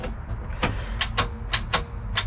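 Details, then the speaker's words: 1996 Mercruiser 4.3 V6 in a Wellcraft boat, seized after 18 years sitting: short uneven bursts of starter clatter cutting in and out without the engine turning over; intermittent starter engagement, cause unclear, engine still not freed. "i don't know what i did but you can hear the starter trying to engage now so that's a good thing bad thing is nothing's happening so we're still still back to that part of trying to get this thing free"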